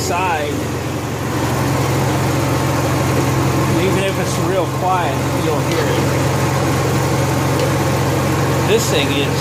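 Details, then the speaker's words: Honda EXW171S welder generator, sat in a barn over 5 years, run indoors after choke warm-up: steady, even hum without misses, knocks or surging; normal running, healthy. "we warmed up in the choke code throttle mode think I'm happy for $100 investment"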